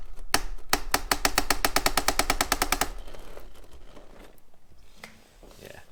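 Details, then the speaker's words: Axial SCX10.3 RC truck (Jeep build), stock transmission owner believes is slipping: rapid, fairly regular ratcheting clatter of about three clicks per second while bound up in rocks under load; gear slipping suspected. "I believe I believe it was slipping as well. So I'll let you hear what it sounds like."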